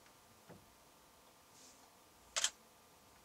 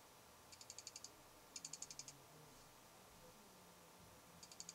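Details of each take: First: Canon 7D DSLR in a quiet recording studio, measured at 53 dB at 3 feet, louder than the Fuji X-Pro1: a single sharp, crisp double click of mirror and shutter. Normal DSLR shutter sound. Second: Fuji X-Pro1 in a low-light recording studio, camera 3 feet from a sound pressure meter that barely registers (occasionally 53 dB): faint bursts of rapid high ticking, six or seven clicks each, over quiet room hiss. Lens aperture chatter.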